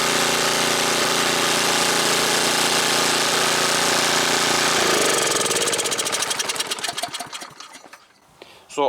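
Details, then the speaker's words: Snapper snowblower, first start before winter after sitting a month; runs steadily, then falters into slow separate firing beats and nearly dies as choke setting upsets mixture; choke must be adjusted. "you actually could hear it when it's all the way out it's starting to choke when it's all the way in to the left or to the right in my case"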